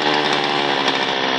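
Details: An old Zenoah chainsaw that would not start after sitting unused was taken apart and repaired, then restarted on choke with the choke opened after. It buzzes at a high, steady two-stroke pitch with no sputter. Mechanic says the rpm is too high and adjusts the carburetor.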